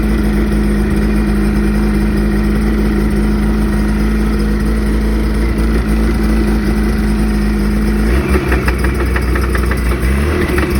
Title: ski doo NEO+ engine knocking